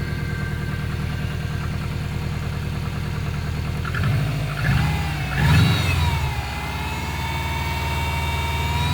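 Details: Subaru Impreza WRX GC8, EJ20G turbo boxer, idling with a dull, irregular knock that persists through a brief throttle blip. Driven this way for three years; others blame forged pistons, the owner suspects a connecting rod. Cause undetermined.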